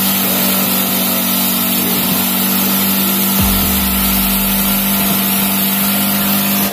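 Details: Single-cylinder carbureted motorcycle, unused two to three months and hard to start, carburetor sprayed with carb cleaner, now warming up: steady, even putter at idle with a brief throttle blip, no misses; normal idle.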